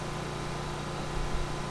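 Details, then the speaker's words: Vintage Briggs & Stratton Pulsa Jet generator, unused for years, after a full carb rebuild. It runs near 60 Hz powering an AC fan at about 750 W, with a smooth, even low drone and no surging or misses: normal running under load. "There, it did it. It faded out for a second, but we're pulling"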